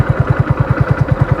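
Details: Motorcycle in about 4th gear at roughly 20 km/h, engine labouring at low revs with slow, heavy knocking; noise rises but speed doesn't; needs a downshift.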